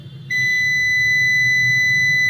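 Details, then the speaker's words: UPS won't run on backup and beeps: steady high beep for about two seconds even with a new battery fitted; both old and new batteries are good, so the fault is in the UPS logic card. "पहले वाली भी battery सही है और अभी जो battery लगी है वह भी बैटरी सही है इसके लॉज कार् में खराबी है"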